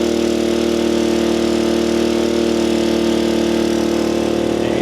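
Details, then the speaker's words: Small gas generator rated 800 running watts, charging an Anker Solix F3800 Plus at 500 then 600 watts through a 120 V socket adapter: a steady, raised drone with even pitch and no hunting or surging; carries the load comfortably. "Hit save, and you can really hear the load on the generator now. But it is charging it at 500 watts."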